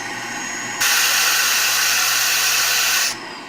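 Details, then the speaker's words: Shark vacuum with a suction problem, just switched on: a loud steady airy hiss over the motor hum as air escapes through the spring-loaded suction relief valve, opened by a clog. "Okay, that sound is air escaping from right here. This little spot right here."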